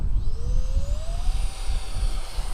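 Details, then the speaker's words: Electric ducted fans of an SU-27 model jet that failed to take off: fan whine rises then levels at a modest pitch under wind rumble, weak thrust; wet clumps of grass pulled from each fan unit had clogged and would harden on the fan blades. "clumps of grass this is what I took out of each of those units now that is still wet looks like weed and it is grass but not the type you can smoke um it's still damp and that means it would have hardened on the fan blades"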